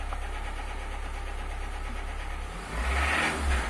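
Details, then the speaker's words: 2012 Renault Symbol/Logan 1.4 engine: rapid knock over idle growing louder and sharper with revs, confirmed connecting rod bearing knock at the crankshaft; engine must come out. "قربيعة تاع موتور في البروكا. لهنا قربيعة في البروكا جاتو كلها على بعضها مسكين."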